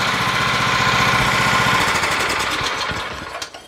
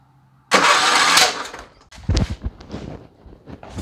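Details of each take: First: Craftsman riding mower with a Kohler Command engine, after replacing the sheared flywheel key that caused backfiring and a no-start: fires evenly at a steady rapid beat with no pops or backfires, then winds down smoothly; running normally. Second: Craftsman riding mower with Kohler Command engine, no start. Cranking gives a sharp, loud backfire and then weak uneven sputters without catching. Suspected sheared flywheel key or valve train problem, later fixed by replacing the flywheel key.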